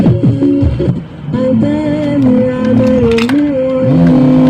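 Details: Polytron Bigband BB 455K radio being serviced for a radio fault, with its tuning variable replaced by a non-original part: music and singing come through steady and clear, no rasp or crackle. Station is tuned cleanly.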